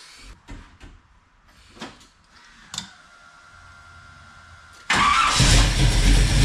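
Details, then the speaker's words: Rat rod wrecker tow truck V8 after distributor refit, fired with valve cover off and oil everywhere: after handling clatter, loud even rumble with no valvetrain ticking; normal quiet idle. "sounds pretty quiet yeah now I've got oil all over everything I gotta clean it so it'll seal but it sounds good"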